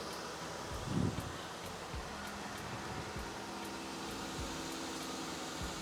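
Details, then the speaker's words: 2015 Jeep Wrangler Rubicon 3.6L Pentastar V6, first start after rocker arms and pushrods replaced via timing chain removal for engine tick, fresh oil: quiet smooth idle, no valvetrain ticking; normal. "beautiful nice and quiet no"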